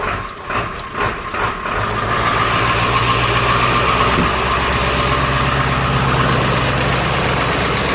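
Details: Diesel Rhino with a slow, hard cold start in chilly weather, fixed with new glow plugs: on a cold start after one glow plug cycle, a few cranking pulses, then it fires and settles into a steady, even idle clatter with no stumbling.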